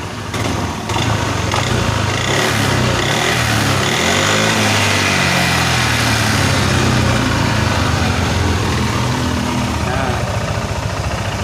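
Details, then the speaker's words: Yamaha NMAX with ISC, high-mileage engine, slightly noisy: throttle blip rises then drops cleanly to a steady idle after about a minute, where before the hose fix idle rose by itself and fell slowly; idle now stable. "Ini motor udah stabil lagi teman-teman."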